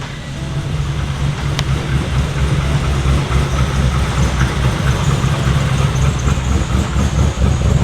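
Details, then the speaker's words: LS-swapped Nissan Z32 started for the first time after sitting over a year: fires right up into a low rumbling V8 idle with a steady lopey cam chop about two beats a second, settling evenly; sounds healthy. "that was first start that thing started right up good All-American muscle this thing literally hasn't been started in over a year"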